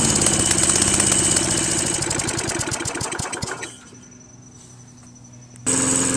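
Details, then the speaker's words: Free Craftsman Eager One 4HP Tecumseh 20-inch push mower after carburetor replacement: fast, tinny rattle riding on the engine beat, then it dies away. Owner suspects loose inner sheet metal or a bracket; source unclear. "no no what that damn noise is from never heard it before you guys know what that noises"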